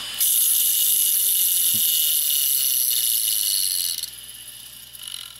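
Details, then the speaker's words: Quantum ProDrive ELS 170 MB hard drive with deteriorated rubber, powering down: harsh steady hiss-like scrape as it spins down, then fades; heads not parking correctly and scraping the platter. "so if your quantum drive starts scraping like that so it's making that terrible scraping sound and there is data on the drive that you care about get it off and retire the drive"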